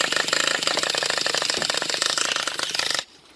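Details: Traxxas Revo 3.3 nitro engine that made a clunk and cut off while driving; after two new glow plugs, fresh fuel and needle tweaks, primed and cranked: fast raspy starter whir with no firing pops, owner suspects no compression.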